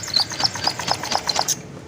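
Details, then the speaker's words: Honda Vario 125 (old), arrived dead with coolant in the oil from a leaking water pump seal: sharp light ticking about four per second; the worn water pump bearing lets the fan rub its cover. "Tapi untuk suara mesinnya ini seperti ini ya. Cik cik cik cik."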